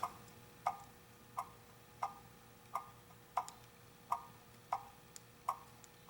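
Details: Antique clock on the bench, hung straight and level side to side: crisp, evenly spaced ticks about every two-thirds of a second with no limping rhythm; clock in beat.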